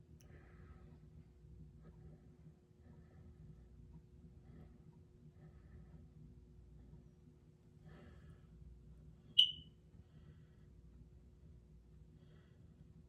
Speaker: Uh, this is my smoke alarm. It's Sunday afternoon and right now it's beeping every 20 to 30 seconds. Continuing to beep every 20 to 30 seconds.